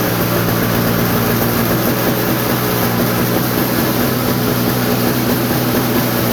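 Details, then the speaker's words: Toro snowblower sitting about a year: steady, even two-stroke drone with no misses or knocks, holding its speed; normal running. "So yeah, I thought that was gonna take like 20 pulls. Honestly, I did. But the old Toro, he's ready."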